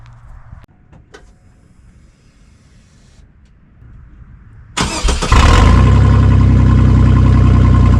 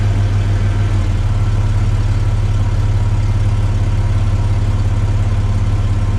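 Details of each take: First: Chevy S10 started early in the morning with the exhaust cut after the Y-pipe and catalytic converter, leaving a section missing before the muffler, prior to shop welding: it catches into a loud, deep, blatty idle rumble. An intentional exhaust leak. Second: Chevy S10 after the exhaust was repaired, replacing the restrictive factory 2 in twin-cat system: steady, deep, even rumble with a mild burble, no rasp or rattle, quieter in the cabin; sealed, healthy exhaust.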